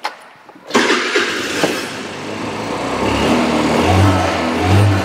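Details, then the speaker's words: Chinese scooter with a GY6 four-stroke engine, previously crank-no-start with no spark, after the ignition fix: a quiet click, then it catches at once and settles into a steady, even idle. Normal start and idle. "oh yeah and I guess we've got a fix now"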